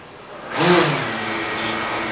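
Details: DJI Mavic Air with Master Airscrew low-noise propellers, outdoors on lift-off: whoosh then steady even motor hum with no wavering or rattle; props sound healthy, seemingly slightly lower rpm than stock.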